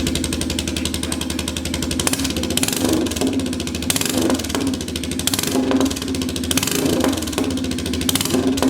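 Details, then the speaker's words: Royal Enfield 350cc Bullet single on a freshly made custom exhaust fitted with a baffle, not fired up in a while, in neutral. Loud thump with sharp crackles and pops as revs rise and fall. Owner suspects over-fuelling and says a cat would remove much of it. "Uh, a lot of crackies in that. That could be that uh cat coming. Cat takes a lot of that out. So, like over fueling it."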